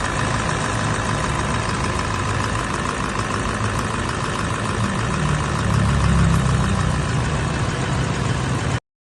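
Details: 2017 Toyota Land Cruiser VXR 200 diesel idling with a hard, rough knock about four times a second, plus low power and oil loss. A dealer called for an overhaul, but the cause was a false turbo boost-pressure (MAP) sensor signal, fixed without an overhaul.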